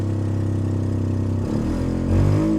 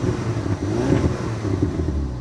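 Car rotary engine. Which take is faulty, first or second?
first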